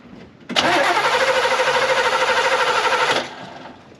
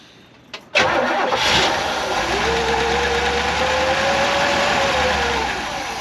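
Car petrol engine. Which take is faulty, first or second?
first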